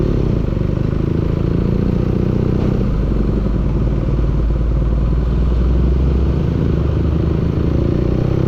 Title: engine knocking